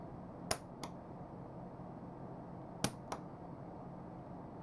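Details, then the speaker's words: Hornby R8014 points motor fired by BLOCKsignalling CDU2R capacitor discharge unit via BS3W switch, with PPI4-DC indicator LEDs: pairs of sharp snaps about a third of a second apart in quiet room; points throw cleanly each time. "you can hear the points switching at the same time. That's all there is to it."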